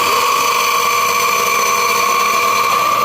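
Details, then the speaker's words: Old household water pump motor before bearing replacement: loud steady whirring with a hard, rough high-pitched whine over the hum; worn motor bearings, to be replaced. "काफी पुरानी motor है। जोर से आवाज चल रही है।"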